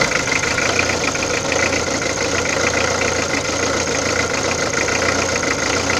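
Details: Peugeot diesel at idle: fast, sharp ticking clatter over steady idle, strongest in upper range; abnormal engine noise of unknown cause.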